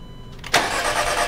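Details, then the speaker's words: VW Passat with no start, no spark and no injector pulse, suspected bad sensor ground; after power and ground checks, starter cranks steadily with faint injector ticking now audible, but the engine never catches. "I hear injectors firing that I didn't hear before do it again"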